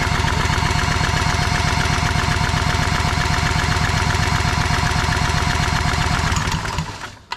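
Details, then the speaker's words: Old long-unused barn-find Generac generator, spun with a drill and sprayed while cranking: rough, uneven putter about 2.5 beats a second that sags and dies; spark plug found wet-fouled, completely soaked. "an issue with this plug it's probably wet filed oh yeah completely soaked see how wet that is"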